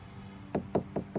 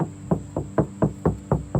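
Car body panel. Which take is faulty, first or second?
first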